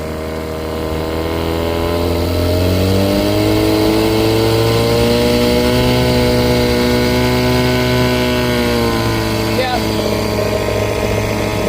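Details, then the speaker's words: 1975 Johnson 6hp outboard, idles great after fuel-line work (had been starving for gas and shutting down); on throttle revs climb a little then hang flat, lacking its usual power; loss of power on acceleration, compression test planned. "Yeah, usually it has so much more balls. Like, you could feel it wanted to ramp up and have who was thinking what the heck? You could feel that like it wanted to go, and then just, I don't know,"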